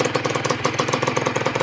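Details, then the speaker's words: Honda NSR150 RR-W two-stroke freshly rebuilt: sharp raspy puffs with each firing pulse at idle, like a leaking pipe. "ไอ้นี่แหละมันดังอ่ะมันเลยเหมือนเสียงเหมือนท่อรั่วนะครับ"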